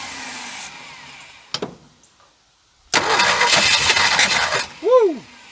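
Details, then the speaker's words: 1976 Ford F150 V8 abandoned 30+ years, spark restored, carb cleaner sprayed in: cranking then ragged uneven firing catching a couple of seconds and dying; sputtering, trying to start. "I'm going give her some carb cleaner too oh she's wanting to run"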